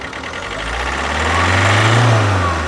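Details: 2011 Alfa Romeo Giulietta II (Tipo 940), 1.6 diesel 940A3000, 77 kW, 312,000 km: the diesel rev swells and drops with a lumpy, uneven beat under the roar, because one cylinder has no compression.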